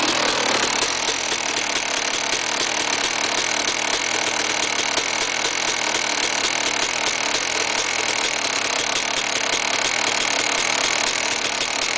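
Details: KTM 380 SMR two-stroke at buzzy idle: fast dense metallic rattle over the exhaust; bad engine noise, cause unclear.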